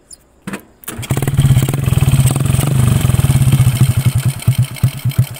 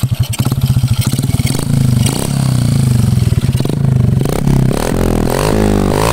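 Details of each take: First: Honda Karisma after piston replacement and valve setting (previously white smoke and rough piston noise): catches after a brief crank and settles into a steady, even single-cylinder putt at idle, no knocks or rattles; normal start and idle. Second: Honda Karisma motorcycle emitting white exhaust smoke, revving: clatter and rasp under exhaust note, harsher as revs climb; rough noise from piston area, owner predicts oversize piston and cylinder work plus valve reseating needed, not confirmed.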